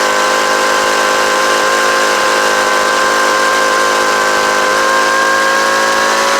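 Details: Homelite UT09520 two-stroke trimmer after carburetor replacement, held at wide open throttle: steady high-pitched buzz, pitch creeping slightly up without stumbling; runs clean, owner thinks it could use slight tuning to wind out more.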